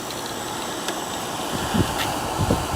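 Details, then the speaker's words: 1969 GM window air conditioner with reciprocating compressor, started after not running for about three weeks, pressure building; soft steady hum, light low rumble, faint knocks over fan hiss; compressor sounds fine. "This thing sounds fine."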